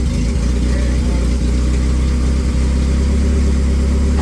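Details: 1995 Honda Civic EJ1 with freshly swapped replacement engine, replacing one with rod knock, first start after priming with fuel: steady low idle with an even rumble, no knocking or tapping; normal idle.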